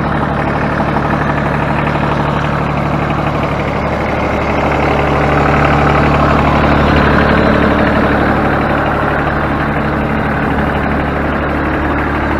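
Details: Ford New Holland 1630 three-cylinder diesel tractor idling after completed rear remote hydraulic valve leak repair: steady even idle with a smooth regular beat and no knocks or misses; healthy.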